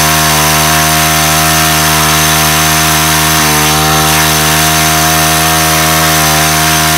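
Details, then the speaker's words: Weathered 29cc four-stroke Craftsman Speed Start curved-shaft trimmer, run after checking the oil level, suspected oil leak: steady high-pitched buzz holding fast revs, never dropping to a slow idle; idle speed set far too high. "really what was not working good on this was um the idol was set so high on this i think that may have"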